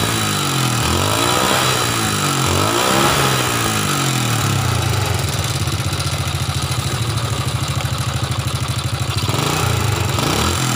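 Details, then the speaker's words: Old Honda Supra motorcycle engine idles with a rough, uneven clatter around the cylinder block and head, and the exhaust smokes white; piston wear from late oil changes is suspected. Finding: worn camshaft and cam followers. "Oh iya masalahnya motor ini bersuara kasar Hai bunyi kemricik disekitar ini blok seher dan Silinder Kop"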